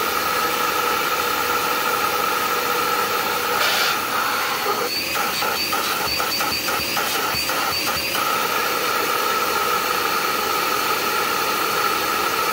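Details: Dirt Devil Endura Max UD70175 upright vacuum on stand, filter cleaned, belt fine: loud steady motor hiss and strained high whine with no airflow change; suction hose clogged by a metal-wrapped fake tree branch.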